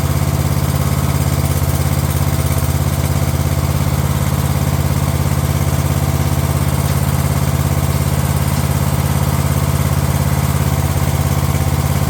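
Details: Craftsman LT1000 lawn tractor on a previously rebuilt Walbro carb replacing the poor-running aftermarket carb: even, steady single-cylinder thrum at constant speed, no surging, popping or stumbling; runs much better than before; normal running.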